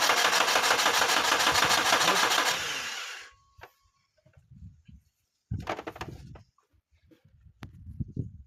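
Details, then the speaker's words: Toyota Wish, 2003 model, intermittent start problems, then no start after fueling: steady starter cranking at about three turns a second with no firing. A spark tester bulb stays dark, confirming no spark; the cause is an ECU wiring circuit fault. "So, as we could see, this bubble was not lighting up. The spark black tester was not lighting up. So, meaning this vehicle does not have a spark."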